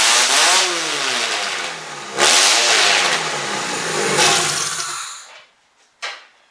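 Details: Demolition derby car engine, first start with nearly all sensors connected except knock sensor and one other, spark confirmed: loud, ragged revving bursts with uneven lumpy beat, flame visible; owner suspects some plugs bad, not firing on all cylinders. Engine misfire.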